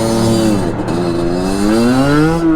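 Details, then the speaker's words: Sherco 50 supermoto two-stroke after jetting and gearing changes: howl climbing through revs, dipping at a shift and pulling again, reaching about 11,000 rpm from 8,000; running too rich, needs re-jetting; gearing limits top speed. "d up and jetting so it's too rich i'll have to go back and jet it but you can hear it's too rich there's 10-5 11."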